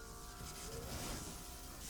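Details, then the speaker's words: Bullet 500 at key-on with check engine light illuminated: faint steady electric hum for a couple of seconds as the fuel pump primes normally, picking up freshly added fuel. "As long as the check engine light is illuminated, it's priming the fuel pump. So check this out. Hear that?"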